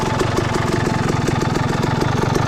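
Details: Suzuki RM250 two-stroke with a Lectron Billetron Pro series carburetor fitted: crisp idle with quick, even popping pulses that hold steady, no misses or stumbles. Engine running clean.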